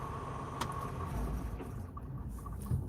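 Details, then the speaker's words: Rental semi truck's 15 L diesel auto-started by the optimized idle climate control system with the key on: steady low rumble at an even high idle with no knocks or surges; normal high idle. "You can hear it beeping and then the engine will then the engine starts up and it actually high idles itself there."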